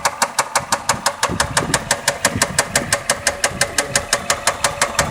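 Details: Engine knock at idle on a 1993 Toyota Cresta with the 1JZ petrol engine: a sharp, even knock tapping about three times a second over the idle.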